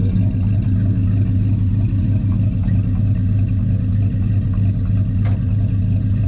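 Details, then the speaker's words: 1984 Chevy truck, revived after sitting two years, running with the air cleaner off: deep, even V8 rumble holding a steady beat with no ticking, knocking or misfire; it sounds healthy. "oh God it sounds good all right see what you do sounds good"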